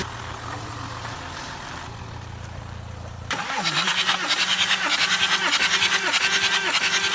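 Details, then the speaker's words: Car that would not start, next day (24 hours later) after blocking each injector to find the faulty one and changing injectors: short crank, catches at once, settles into a steady even idle; healthy start with no hesitation. Owner suspects a relay may have been the cause. "I honestly lost hope. I lost hope in the car. The car started up with no hesitation."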